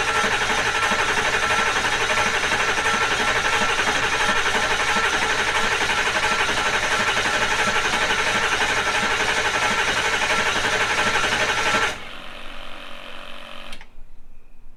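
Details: Diesel idling after new injectors were installed and the engine reassembled: steady rapid clatter at about three beats a second, even and unbroken until shutdown; sound running engine.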